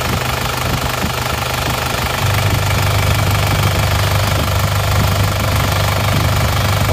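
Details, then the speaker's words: Diesel car with AD plate before overhaul, idling with oil filler cap opened to check: heavy uneven chuffing rush from the filler over a steady low knock; crankcase blow-by from worn piston rings confirmed. "Coba kita buka tutup isian olinya Apakah dia benar-benar"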